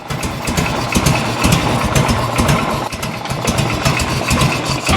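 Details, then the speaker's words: 1986 Harley-Davidson Liberty Edition Electra Glide Classic Evo, 23,000 miles, first run after a decade, air cleaner off: slow loping gallop at idle, idle speed set too low, hard on base gaskets and bottom end, to be raised. "Might be a little bit too low on the idle. Let me get a flat head. You can let it idle this low and gallop, but it's not good on the base gaskets and the bottom end."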